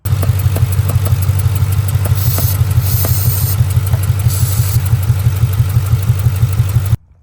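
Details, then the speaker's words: 2002 Ford Mustang GT, 4.6L 2V V8 at idle: sharp regular tick about three per second, silenced by spraying brake cleaner at cylinder two, with spray hiss in bursts; compression escaping past a loose cylinder-two spark plug. "And when I got right here to cylinder two, I would spray down there and the noise would go away at idle."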